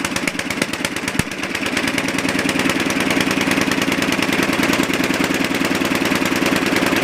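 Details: Super 12 hydro small single-cylinder engine, just started cold. Uneven lumpy firing that never settles into a steady beat: rough cold idle.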